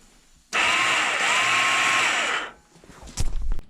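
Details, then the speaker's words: 1987 Yamaha Big Bear 350 4x4: on pressing the starter, a steady high whir for about two seconds that never engages or turns the engine; starter spinning free from failed one-way bearing. "all right if you listen here's the noise that I heard when the one-way bearing went out turned on hit the button you just hearing a spin but nothing engaging"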